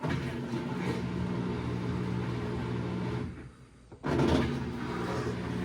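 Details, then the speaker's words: Whirlpool washer drain pump run in test mode: steady, even low hum that cuts out briefly and restarts cleanly while pumping out a little leftover water, as it's supposed to sound; normal drain pump operation. "There it goes. Actually pumping a little bit of water that was left in there. And that's what it's supposed to sound like."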